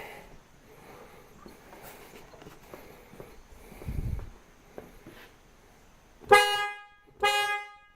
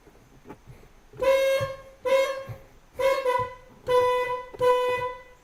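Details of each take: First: 1999 Mercedes ML320 with a new replacement horn hanging temporarily, wired to the old contacts. Two loud, full, clean honks with no rasp, which shows the old corroded horns must be replaced rather than cleaned. Normal horn operation. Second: 1999 Mercedes ML320 old horn, after its contacts were cleaned with sandpaper and WD-40. Five short honks, each a thin, reedy tone lacking punch and volume; still not great, so the old horn itself is suspected. Weak car horn.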